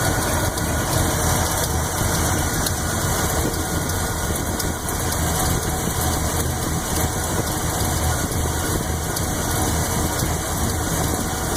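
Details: Chevy 400 V8 with a Lunati Voodoo cam and Comp roller-tip rockers at idle: light fast tick, owner says a lifter on the even-side bank. It is barely heard at 900 rpm, heard at 700 and pronounced at 500. Adjustment was rechecked twice, and the source is unconfirmed.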